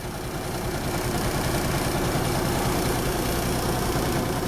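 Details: 1974 Kenworth W900A, NTA420 Cummins diesel, running after three years of sitting, started first try on a borrowed pickup battery. A deep, even idle with a steady low thrum and no knocks or misses: a normal diesel idle.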